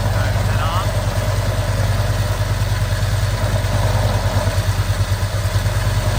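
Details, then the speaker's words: Harley-Davidson V-twin, around 2010, with new but chattering clutch: steady lumpy idle with dry rough grinding underneath; worn clutch bearing, confirmed by side-by-side comparison. "off up yeah that's a bearing that is definitely cuz again you could definitely hear the difference once you did it side by side"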